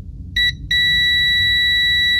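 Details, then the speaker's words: 1992 Amiga 600 keyboard membrane after silver varnish was applied to the dried, aged rubber contacts: a multimeter continuity check (sounds below about 100 ohms) beeps immediately, showing a good conductive path. "voilà ça sonne immédiatement"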